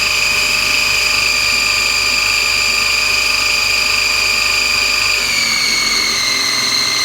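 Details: Lathe spindle drive with toothed cog belt and pulleys (motor pulley on tapered sleeve, 28 mm shaft) running at high speed: loud steady high-pitched whine easing slightly with speed; owner considers swapping to V-belt pulleys.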